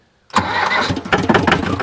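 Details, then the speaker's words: Diesel 4x4 man-lift being cranked after ether use: harsh rough metallic starter grinding over the turning engine, engine starting to catch; later dies from fuel air bubble, new lift pump needed. "man that starter grinding is killing me"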